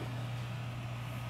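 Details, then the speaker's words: 2012 Sony VAIO S13 laptop (Intel HD 4000) cooling fan at full load running 3DMark Vantage: steady, even fan rush over a constant hum with no scraping, whine or screech; healthy. "so overall the Fan's not too bad and the best thing is that it doesn't have any annoying Weir or like a screeching"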